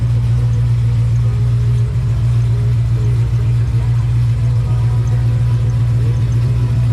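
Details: 2005 Pontiac GTO back from the track, engine running: steady, deep, even drone with no knocks, ticks or misfires; motor sounds healthy, but the car barely moves, revving out and slipping above 4–5 mph, a rear-end/differential problem.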